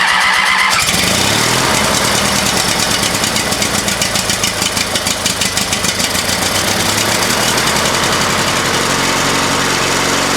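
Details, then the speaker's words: Used lawnmower engine fitted to an old Ariens walk-behind mower, after head bolt work and new top fitted, choke on, throttle up, fuel of uncertain quality: starts cleanly into a steady, even small-engine chatter at fast idle, runs well; struggles to idle before possibly running out of fuel. "Well, it ran good. Runs really good. Trying to get it to idle there at the last little bit, but I think it'll work just fine for what we need it."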